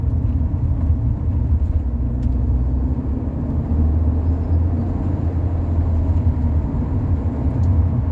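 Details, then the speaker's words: Rover 45 1.8 K-Series with CVT, road test after full service and carb-cleaner treatment; low, smooth engine drone while cruising with road rumble, no hesitation or odd noises, engine running healthy. "it doesn't hesitate no it's absolutely fine in fact this is one heck of a Happy Engine I can sense it"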